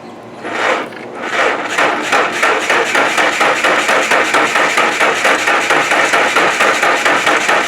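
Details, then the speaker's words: 1995 Nissan first start attempt on a battery being charged that makes odd sounds: starter drags the engine over in a heavy, labored chug about three beats a second; slow cranking, weak battery suspected. "cranks over a little slower music I didn't care for that you let that battery charge for some time"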